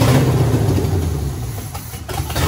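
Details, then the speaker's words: 1967 Pontiac Firebird, sat 25 years, freshly fitted 1977 Pontiac 350: starter cranks steadily but never fires, no fuel reaching carburetor because fuel lines were hooked up reversed; swapping them brought fuel. "i got too excited and kind of a dumb ass and uh i reverse the fuel lines so that one needs to move over here"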